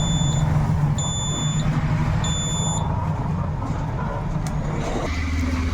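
Three short, shrill high-pitched beeps about half a second each sound over a low background rumble; the alarm buzzer is triggering properly.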